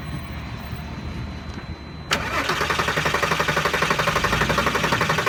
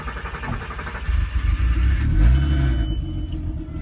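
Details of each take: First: Volkswagen R32 after fuel injector replacement: starter spins the engine in steady bursts near four compression pulses a second, never catching or firing; crank-no-start, owner suspects the fuel pump, not confirmed. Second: VW R32 that would not start, running after fuel injector and fuel pump work (relays later suspected as the culprit): engine catches after a second and settles into a steady, even low rumble with no misses or knocks; normal running.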